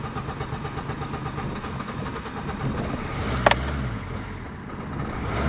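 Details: Renault Clio 2 1.5 dCi 60kW diesel hard start: steady, even cranking churn for several seconds with a brief click, never catching; it starts only if the throttle pedal is slightly pumped while cranking; cranks without firing.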